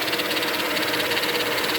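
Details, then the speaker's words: 2000 Mercedes-Benz E320 wagon with stiff steering, idling: fast, light, even ticking from low on one side of the engine. The owner assumes the power steering pump is failing; unconfirmed. "right right here i never heard that sound before but i assume that's that's the power steering pump since i have stiff stern"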